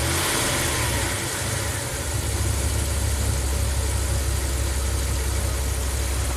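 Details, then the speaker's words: Ram camper van, coolant 150, desired idle 712 rpm, IAC steps under 30: steady, even low rumble with no hunting or misses; hot-soak stalling fixed. "that's it this truck is fixed the owner is going to be thrilled they can take it cross country"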